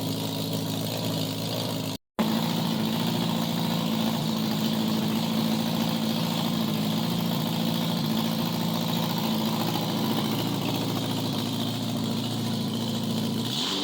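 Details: 1987 Honda Gold Wing GL1200 with electrical issues: intermittent cranking, exhaust backfire at key-off; carburetors semi good. Loud open-pipe idle, uneven beats about two a second that wander rather than settle; rough idle, cause unconfirmed.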